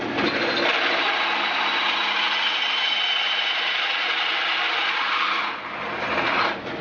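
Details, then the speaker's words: Old Craftsman 10" table saw wheel project, drilling a hole: harsh steady rasping scrape through the whole cut, rough and chattery rather than a clean hiss; owner suspects he didn't sharpen the drill bit right. "like I didn't sharpen it right doesn't it oh well well that's that hole"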